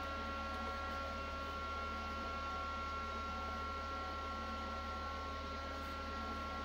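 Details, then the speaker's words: PC with Supermicro H11SSL-i and AMD EPYC 7282 booting at about 140 W: constant loud whoosh, steady hum and thin whine from one previously unused front case fan, obnoxiously loud. "Yeah, that fan is obnoxious."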